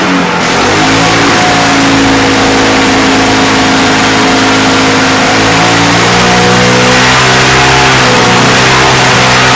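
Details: Victa Mustang 20 two-stroke lawnmower found dumped at the roadside, running after fuel was added: crisp steady buzz picking up cleanly when revved, even with no misfire, though smoking and owner thinks a couple of issues remain.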